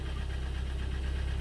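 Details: 2012 Hyundai ix35 with G4KD petrol engine, 124,000 km: idles with a deep, fast, even piston knock, audible from the cabin; engine then rebuilt with block bored 0.5 oversize, repair pistons, new exhaust camshaft and oil pump.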